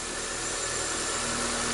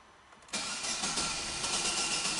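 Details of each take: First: Corsa flex that would not start in the morning, after fitting gapped plugs and cleaning the throttle body, throttle relearn still pending: steady, even idle with smooth hum, no knocks, misses or surging; normal idle. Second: Corsa flex fuel, cold morning start on ethanol, cranks evenly at about three and a half beats a second for seven seconds and never fires; cold no-start.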